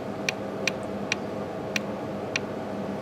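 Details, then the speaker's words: Rare Briggs & Stratton NR6 engine with 6:1 gear reduction, stopped and rocked by hand near top dead center: sharp uneven metallic clicks about two a second; sloppy connecting rod play. "guys should hear the play in that rod dear"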